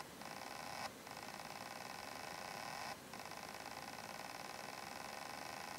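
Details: Very old laptop hard drive connected through a drive adapter and flipped over, vibrating noticeably; steady high whine with fine rapid buzz that drops out briefly twice, abnormal noise, likely failing.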